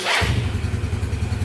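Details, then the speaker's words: Yamaha Mio starter motor reassembled after checking the heavy-starter problem (brushes, armature windings and magnets found fine). One light press and it starts instantly into a quick, even putter; starts easily and runs cleanly. "Nah, di sentil saja pun ini sangat benar-benar mudah hidup sekali ya."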